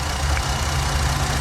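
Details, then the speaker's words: 2012 Jeep Liberty 3.7 L V6 at idle, in for warm A/C: constant airy hiss over an even idle rumble at one injector, which may reseal when wiggled; repair recommended. Vacuum leak at fuel injector O-rings. "The fuel injector O-rings are leaking. Yep, I hear it right there at that injector. If I wiggle it around, it has an opportunity to kind of reseal itself."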